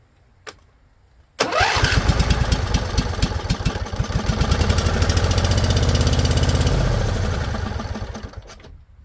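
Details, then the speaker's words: Husqvarna Z254 with a swapped twin engine, cranked on choke after its factory spark plugs were found with a very tiny gap. Starter spins about seven seconds with steady compression pulses, no firing, with the fuel valve on low. "Flooded again. So fuel on low. That's what I'm thinking."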